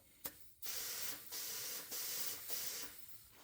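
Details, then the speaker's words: 1957 Ford Fairlane sitting on four flat tires, being reinflated; repeated half-second bursts of sharp hissing as air escapes past unseated bead of very flat tire; tire knocked to help seat it: tire bead air leak. "So, sometimes when uh a tire is this flat, it kind of debeads a little bit and the air gets out through."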